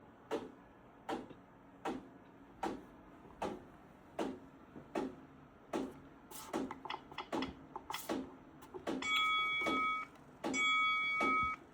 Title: Bowflex m6 knocking noise varying resistance and constant request for update and power cycle